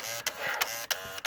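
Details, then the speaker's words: VW throttle butterfly actuator (V60) driven back and forth during a VAG 1551 function 03 output test, giving short whirring bursts about three a second; the actuator responds and is working okay. "this we can hear that operating backwards forward so we know that's all working okay"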